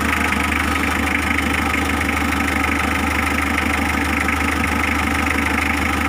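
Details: Mitsubishi L300 diesel, restarted while fixing a glow plug relay that clicked "klik-klok" with the engine running: a steady idle with an even, regular beat and no clicking over the top. Engine sounds healthy.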